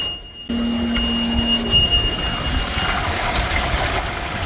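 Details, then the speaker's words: Sailboat's large bilge pump switched on while a garden hose fills the bilge: a short hum, then rushing water as it empties the bilge and shuts off in about three seconds; it is working normally. "it dumps out so much water so fast it turns off in about 3 seconds, which is its job. So I'm glad to see that it's working."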